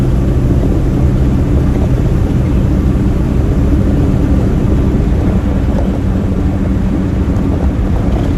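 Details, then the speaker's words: 1965 Chevrolet Nova wagon on a road drive after the Holley 600cfm four-barrel and Edelbrock intake swap, which replaced a two-barrel Rochester that hesitated badly from a stop. Steady deep drone that pulls evenly with no stumble or flat spot. Smooth acceleration. "Already it feels pretty good. It feels a lot smoother. It feels like it's not struggling. I like it already."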